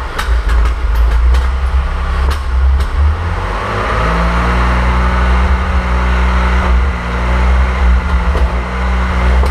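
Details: 1927 Avions Voisin C11, 2.3 litre six-cylinder sleeve-valve engine with thermosyphon cooling. First start after a rebuild following tow-start damage from a seized sleeve, with new sleeves, junk heads and slipper pads. Deep, steady, even rumble after a few light clicks; smooth, no knocks.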